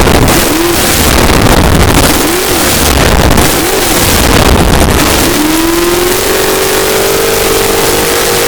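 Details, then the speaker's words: 454 Big Block Chevy stroked to 496 for a 1968 Chevelle, test run: loud V8 blips up and falls back several times, then holds a steady higher pitch at a quarter to a third throttle, no knocks or misses; normal. "That sounds pretty good for about a quarter to a third of the throttle. I'm not hitting it all the way here, just sitting here running it up."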